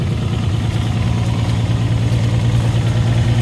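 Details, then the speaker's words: Engine jump-started with a Jump-N-Carry box using the override after sitting 8 or 9 months with a completely dead battery: smooth, even low rumble at a steady idle, no knocks, misses or surging; normal idle. "That worked incredibly well. Holy cows. Yeah, I'm surprised. These boxes, wow, that worked good."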